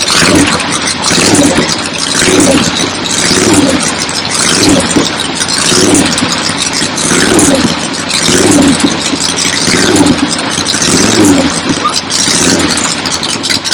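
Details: 1975 Harley XLH Ironhead Sportster V-twin, fresh rebuild, first start outdoors on a temporary lawnmower gas tank: loose lumpy idle with steady uneven loping beat, outdoor noise; oil return established, oil pump working, normal idle.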